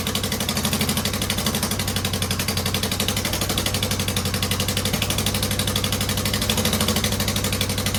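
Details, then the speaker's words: 2009 Subaru Forester X NA EJ253 with remanufactured OEM heads, second start after engine install: uneven, lumpy idle with a wandering beat; rough idle from a vacuum leak, one airbox/intake hose unplugged and another in the wrong spot. "Well, I would not say that was a terrific second start, but I could find this hose here off the airbox and this hose off the intake were one of them was unplugged. The other one was in the wrong spot."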